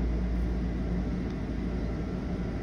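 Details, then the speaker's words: U-Haul fleet truck whose customer reported oil pressure loss and rough running (low oil, pickup sucking air): low, steady idle rumble settling back to about 40 psi oil pressure after a rev, with no knocking or ticking. Healthy idle. "it jumps up just like it should and it should go right back down to 40 maybe just the hair under and stop"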